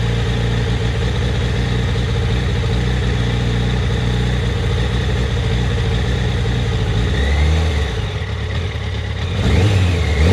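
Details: Yamaha FZ1, warm only: an uneven, irregular idle that stumbles as revs dip and catch, jerky at low rpm; coils in spec when cold, plugs about 6000 km and two years old; cause unknown.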